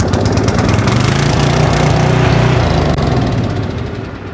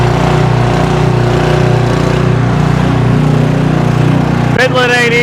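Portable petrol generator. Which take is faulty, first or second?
first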